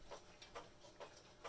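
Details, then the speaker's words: Herschede bim-bam mantel clock, heard at the movement: quiet tick-tock at about two beats a second with unequal spacing between alternate ticks. Owner thinks it is out of beat, which can be fixed. "uh yeah this is uh I'm yeah I think the thing is out of beat but yeah that can be fixed"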